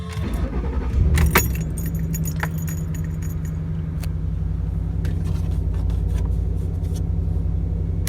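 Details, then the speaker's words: 2008 Ford Expedition after throttle body replacement and reset, following a road test with no surging: keys jingle, engine starts and settles into a steady low idle with no hunting or surging; no lights or codes; normal idle. "See, it's running pretty smooth."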